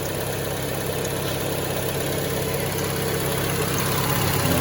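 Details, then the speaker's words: Junkyard Peugeot 3008 with an apparently recently serviced radiator, started on the first crank: even, steady idle with a smooth rhythm rising slightly when revved, no knocks or misses; engine sounds normal and healthy. "Tuh hidup kan, sekali starter hidup. Tuh suaranya standar 306, suaranya kayak gini."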